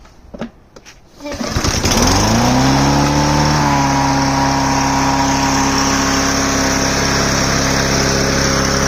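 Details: Troy-Bilt TB110 mower with 140cc Briggs & Stratton engine, which used to start then die, after carburetor cleaning: pull-start clatter, then it catches, climbs briefly and settles into a smooth, even run with no misses; now running normally.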